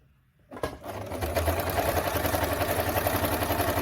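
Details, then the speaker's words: Freshly serviced Singer 2282 Tradition sewing machine sewing thick dense synthetic layers at fast speed: even needle clatter about four stitches a second, steady motor hum; sounds effortless, running normally. "Sounds good. Sounded effortless."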